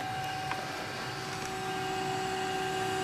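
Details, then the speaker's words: Apple Macintosh SE (dated 1987/1989, boxed up since 1997) with two 800k floppy drives and a 20MB MacBottom hard drive, running QuickBASIC after boot: soft, even whir with steady high hum, no rattle or wobble; normal cooling fan operation, quieter than expected. "it's the the fan sound anyway i'm running uh quick basic here"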